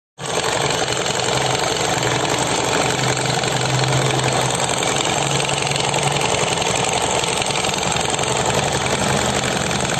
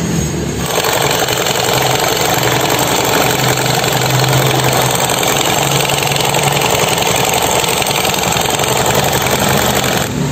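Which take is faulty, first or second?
second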